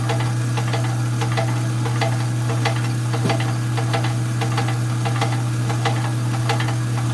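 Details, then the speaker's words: Rock saw cutting stones: motor hums steadily while sharp irregular knocks repeat about 1.5 per second; knocking noise, source unclear. "Okay, why is it knocking? Why is it knocking? Y'all didn't hear the knocking noise?"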